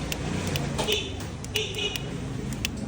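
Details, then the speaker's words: Bristol 400cc maxi scooter under warranty, with just over 2,000 on the odometer, that will not start and reportedly gets hot: the starter relay clicks repeatedly with no cranking because the removed starter motor is seized and won't turn. "Kinalas natin starter at ayaw umikot no. So nahihirapan yung relay para paikutin yung kanyang starter motor."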